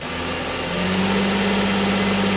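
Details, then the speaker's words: 2000 Lexus ES300 automatic, engine running well, shifted into drive with throttle: engine rises to a steady drone with no load and the wheels don't turn; popping noise when selecting reverse, slight lurch on gear changes; transmission not engaging. "It's definitely not doing anything. Now I kind of feel a little bit of a lurch when I change gears though."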